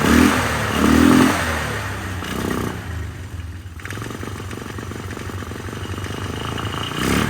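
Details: 1999 Polaris Sportsman 500 ATV, first run after fuel pump replacement, gas tank temporarily fitted and airbox not yet on: single-cylinder thump idles unevenly with stumbles and clattery surges; running rough.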